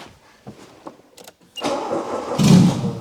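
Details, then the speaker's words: Weak clicks with no start, then the engine catches and runs up once fuel is given down the throat, pointing to a fuel supply fault rather than spark. "I have a feeling that there's not a lot of fuel coming up there I'm just going to give it a bit of fuel down the the throat just to see if it is because it could also be a spark related if it fires up now then it's fuel of"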